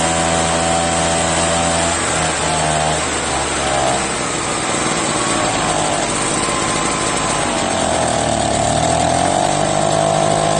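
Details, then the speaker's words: Echo PB-403T backpack leaf blower, found in the trash, two-stroke engine: high buzzing that wanders in pitch and surges instead of holding steady. Uneven running; owner says it needs a new carburetor and doubts it would restart. "well now all I need is a new carburetor right I don't think it would start again though"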